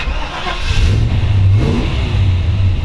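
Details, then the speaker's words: 1955 Chevrolet 210/Delray resto-mod, built 350 V8, 700R4 overdrive automatic, 8,696 miles, start-up heard from driver's seat: deep rumble catches quickly, settles into steady even lope without knocks or misses; healthy, oil pressure about 60 psi. "sound, 350 built."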